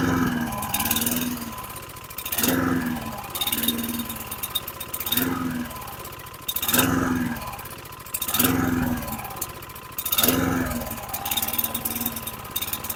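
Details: 2009 Lawn-Boy 10642, 675 series 126T05 engine, 20" blade: after pulling front governor tab to raise rpm, exhaust swells and dies about every 1.5 seconds, cutting out; fuel starvation suspected, not confirmed.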